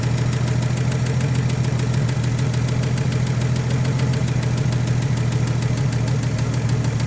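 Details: 1956 Chevrolet 235 straight-six parked since 1989, first run after 36 years on fuel in the carburetor: steady, smooth low rumble at idle with no misses or knocks, no tailpipe smoke.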